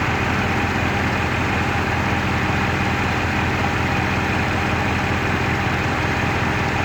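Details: Rover 3.5 V8 with a wobbling pulley, steady idle with loose, irregular lumpiness and an occasional skipped beat; misfire at idle.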